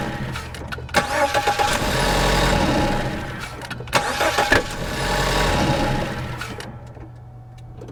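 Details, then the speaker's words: 2014 Ford Escape, microphone at the engine, repeated crank and start with the accessory belt off and a new tensioner: harsh clattering burst as it catches. Noise persists without the belt, so the belt diagnosis was wrong. "well this time with the belt off plain as day that noise is still there so I don't know what happened last time so misdiagnosis by coincidence that's weird"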